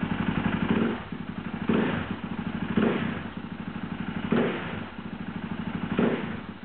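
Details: KTM SXC electric start: repeated fast, chattering cranking bursts that surge and die about every second and a half. Bad, slipping starter clutch.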